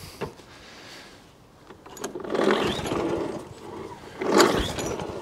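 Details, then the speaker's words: Wolf 21-inch lawnmower, after a shop failed to fix it: after 10 primer pumps, two pull-cord cranking bursts that never fire; no start, suspected priming issue from cracked primer bulb drawing air. "Right, let's get a bit of carburetor spray and see if it won't actually fire off carburetor spray. That will then tell us that we have a working engine, but it's actually a priming issue."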